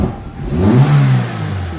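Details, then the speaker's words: Geely CK2 1.5L with LPG, after valve adjustment, camshaft sensor error, slow starting hot or cold, suspected wrong timing belt marks: revs rise then fall back rough and uneven, like two cylinders dropping out; misfire when revving. "так щось довгенько вроде вроде робло прям дуже сильно Таке як як два циліндра якись відмовляє"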